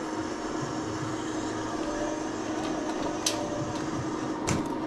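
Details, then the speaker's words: HVAC unit in tenant's closet: steady droning hum with faint whine and light clicks running nonstop all week, starting with a loud noise then settling; source unconfirmed. "it'll make like a loud noise and then go to whatever this noise is but it's been doing it all week"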